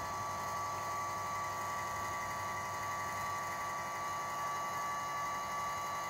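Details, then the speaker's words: Runxin F65P3 volume-controlled water softener valve, just plugged in, running its automatic startup flush for about 20-30 seconds before the settings screen: quiet, steady electric motor hum with a faint high whir and no grinding or clicking, normal valve motor operation. "then it's starting to automatic flush as you can hear the motor is running once this cycle is stopped it's going to go to the settings"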